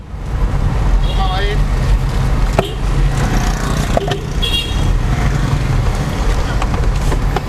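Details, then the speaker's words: Used car driven slowly at about 10–20 km/h over rough paving after a full suspension parts set was replaced, including worn rubber mounts that had caused clunks; now only tyre and road noise, no clunks or rattles, suspension quiet and healthy. "tidak ada suara, tidak ada suara glodak lotek, tidak ada suara-suara aneh"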